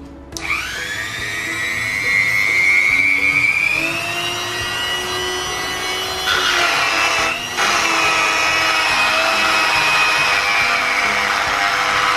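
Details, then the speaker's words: MOLLAR MG005 130 W mini grinder: high-pitched whine climbing as it spins up with rough wavering edge; spindle wobbles, likely loose screw, bearing or bearing seat. "Nah itu biasanya antara dibaut 6 ini dia kurang kencang bisa juga masalah di bearing dan dudukan atau ini dia bisa soal seperti itu"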